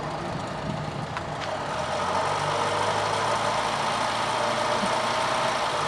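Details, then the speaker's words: Car engine just after a cold start at about 3–5 °C, after fixing perished lines: even low idle hum with faint steady patter, "sewing machine" smooth; normal cold idle. "listen to that sewing machine guys not buffer saying that was a cold start it's not very warm out here"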